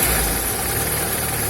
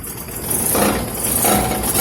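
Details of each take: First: Car after repair of underbody rattle and vibration from a gravel-road hit, suspected sump guard: steady, even engine hum with no rattle or buzzing underneath; runs smooth and quiet. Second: Old car after hitting something on a dirt road: quick repeated revs bring a buzzing rattle and vibration from underneath as the bent engine skid plate (sump guard) presses against the exhaust.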